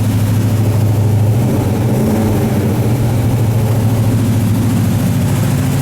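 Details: 1978 Chevy K30 Scottsdale 350ci V8, first start in 4 years after sitting, smoking badly on one side; steady even low throb, no misses, ticks or knocks. Normal idle.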